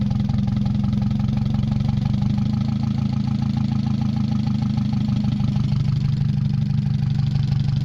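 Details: Mazda 626 first start after cylinder head reassembly, rest of exhaust not connected, oil overfilled: loud idle with uneven wavering beat and shake, some knock. Owner suspects O2 sensor misreading the open exhaust, possibly old gas or bad EGR. Rough idle.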